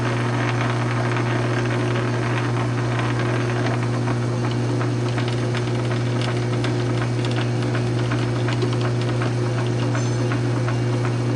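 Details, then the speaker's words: South Bend 9" lathe after quick-change gearbox conversion (Model B to Model A) with a new leadscrew extension, slow test threading yielding a perfect thread: even steady gear hum at one pitch, light tool ticks; normal gearbox running. "And there you go. Perfect thread. So Gearbox works out great. Hell of a lot easier than change gears."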